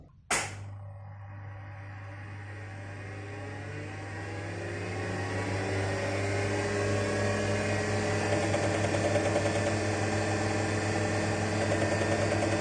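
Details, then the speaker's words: Olivetti M24SP, 1985 8086 PC at 10 MHz, first power-up after cleaning: sharp click at switch-on, then a rising hard-disk spin-up whine over a steady hum with faint ticking; funny noises, cause unknown. "well the hard disk sure makes some funny noises and isn't that an interesting pattern on the screen"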